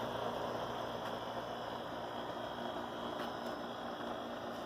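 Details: ComfortMaker central air conditioner condenser at least 21 years old, possibly from 1983, never repaired: quiet steady hum with constant mains-pitch drone and fan air noise, no clatter or screech; normal running.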